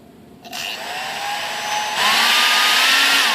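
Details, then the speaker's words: Durafly DH 100 Vampire MK 6 RC jet EDF, new, before balancing: high fan whine climbs with throttle, coarse rough edge; spinner imperfections, ducted fan rotor badly out of balance causing heavy vibration. "that sounds that sounds bad feels bad"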